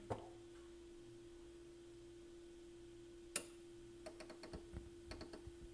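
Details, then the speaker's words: Pioneer SX-1980 stereo receiver on phono 1 input: a steady low hum with a single loud pop then a cluster of sharp irregular pops, worsening the longer it is on; owner suspects failing transistors or capacitors in the phono section. "I don't know if you can hear that popping so we've got and it was a lot the longer I leave it on the more it'll start popping and making noises um failing transistors uh capacitors something like that in the phono section does it on phone one and two"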